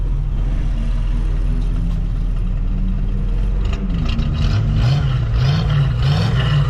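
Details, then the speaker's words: 1984 Jeep with a V8, just running again after wiring repairs, idling very quietly through a single exhaust with a catalytic converter. It is a low, steady, even rumble with no knocks or ticks. Normal idle. "Man, this thing is real quiet. I want people to know this thing's got a V8 in it."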